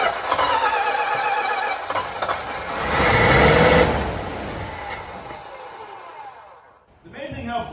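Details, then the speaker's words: 1965 Plymouth Barracuda, 273 V8, 138k miles, off road since mid-90s: fires and revs briefly on priming fuel poured into carburetor, then dies; no fuel in filter, fuel pump judged failed. "still nothing here okay well while I was optimistic about the fuel pump's uh chances I think it's a no gang running out of priming fuel"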